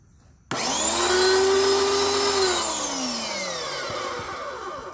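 Motor spins straight up to a high, even whine that eases down slowly with no rattle or stutter; motor and pump running fine.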